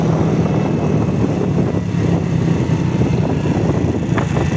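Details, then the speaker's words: RKS Sniper Pro 50cc Cup motorcycle after replacing engine-mount stud bolts (8.6 grade) with 8.8 steel: about 5 km test ride through all gears, steady drone with wind noise, no knocks; vibration greatly reduced. "Yaklaşık 5 kilometredir sürdüm motoru titreşimine bakmak için bütün vitesler de tek tek baktım titreşimi büyük oranda azalttı"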